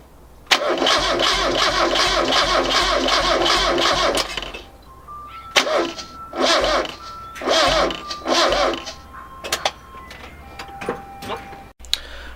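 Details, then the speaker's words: Mazda Miata cranking attempt: the starter churns evenly about four seconds with no firing, then short weak bursts; crank, no start, after a fire. Owner suspects the fuel pump or fuel pump relay, not confirmed. "right so we didn't get the engine started put my hair did catch fire I'm gonna spend a while researching trying to figure out what's going on but we've determined that there's something wrong with the fuel pump or the fuel pump relay"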